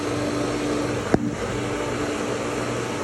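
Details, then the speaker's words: Pool pump and filter switched from skimmer to vacuum hose, air bled out: steady even motor hum with one brief click, no surging or gurgling, water running through pipes; normal running. "And you sort of hear water running through the pipe now. Now there we go."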